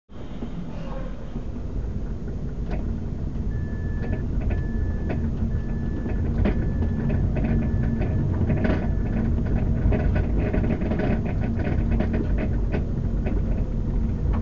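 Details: 2005 Mazda 3 recorded from the trunk: irregular rear clunks over every bump, heard over road rumble, seemingly mostly from the driver's side. The clunks do not occur when the brakes are pressed; the rear suspension is suspected but not confirmed.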